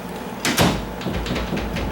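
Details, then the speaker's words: Newly installed Schlage privacy lever door handle with new strike plate, door closed to test latching: sharp clack as the latch snaps against the strike, then a loose rattle; strike needs bending further to seat cleanly. "See that? That makes that noise. I don't like that. And so I'm gonna go ahead. I know I need to bend that a little bit more."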